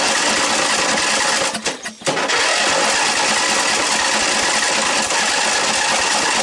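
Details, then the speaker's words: Snapper 38-inch scrap riding mower cranking on starting fluid after adding gas, with key accidentally off; rapid, uneven chuffing, briefly dropping out, trying to catch but not running; gas leak seen at carburetor. Engine cranking on starting fluid. "now we'll go ahead and try it and let me spray a little starting fluid on it cranking good"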